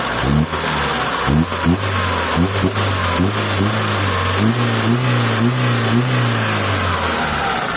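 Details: Mitsubishi Lancer "pizza" 4G13 carbureted petrol engine idles smoothly and takes several quick, clean throttle blips after repairs including fuel filter replacement; normal revving.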